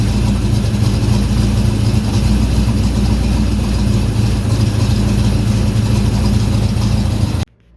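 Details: 1969 Corvette, believed to be a 383 V8, after setting timing (initial 16°, total guessed in the 30s, distributor vacuum line plugged): even, lumpy idle with no pops or backfire; runs great.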